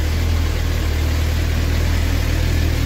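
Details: Suzuki GSX-R750 that began misfiring at about 2,000 km, after original plugs were replaced with new iridium plugs: steady, even idle just above 1,000 rpm, smooth rumble with no misses, showing normal idle.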